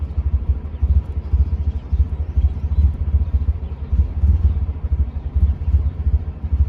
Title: Bad idle/misfire